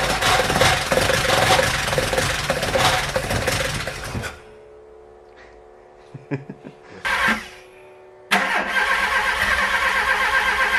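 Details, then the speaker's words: VW Golf Mk1 with swapped 2.0L 8v engine on Dellorto DHLA carburetors, first start: catches and stumbles with sharp irregular backfires, dies, restarts rough; owner suspects an ignition problem. "so there is some life in it but it's clear that something is wrong the backfires are telling me that the ignition might have a problem so we are going over it before trying it again"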